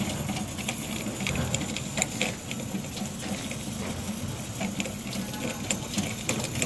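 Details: Beretta bithermic boiler (no plate exchanger) heating hot water: irregular crackling, ticking and small pops over a soft flow hiss, probably water boiling in a limescale-clogged exchanger; stops once hot water is closed; fix is acid descaling.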